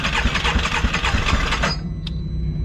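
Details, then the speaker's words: Can-Am X3 side-by-side restarted after overheating one mile into a ride, with water found in one cylinder: uneven, lumpy running with irregular pulsing, like water gushing, for under two seconds before it dies. "You can hear there's definitely something wrong. No, it's... You could almost hear when she started. It sounded like water gushing somewhere."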